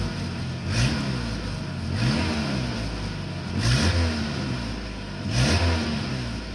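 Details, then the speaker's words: Honda CRX four-cylinder idling with throttle blips after broken muffler reconnected with new pipe, resonator deleted; exhaust note deep and steady with no rasp or leak puffing, slight improvement: normal exhaust note. "Alright, so there's a little bit of improvement with the muffler actually connected now, so that's good. I could deal with that."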